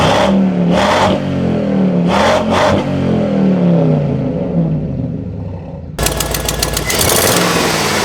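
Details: 2004 GMC truck, engine revving up and down with a sharp rapid ticking puff on the exhaust that quickens with revs; a massive exhaust manifold leak.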